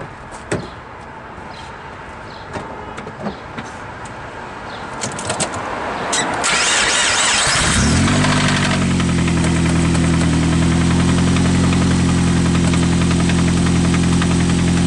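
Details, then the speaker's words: Petrol engine started and idling with a steady, regular knock about three to four per second, suspected connecting rod knock on the crankshaft; to be checked with a screwdriver and by pulling the coils one at a time. "hear that sounds like rod knock right there like the connecting rod is banging up definitely on the on the uh prank shot"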